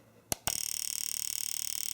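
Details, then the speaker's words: AllSun EM276 fuel injector tester in mode four, continuous 50 pulses every 1.5 seconds at 7 ms pulse width with no timeout, used for ultrasonic cleaning; a fast, even train of crisp clicks, normal clean injector pulsing. "now the tool will just uh or the injector will just run continuously there's no timeout or anything that's going to take place you just uh set it and forget it"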